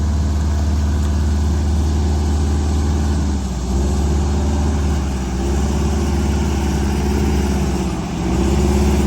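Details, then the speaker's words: Prevost bus, Detroit Diesel 8V92TA DDEC2, full throttle pedal with TPS reading 100%, max 15 psi boost: heavy flat strained drone barely gaining revs; power loss from faulty injectors. "It's not even gonna, it almost doesn't even, we almost got stuck here because it didn't want to move. That's full throttle pedal."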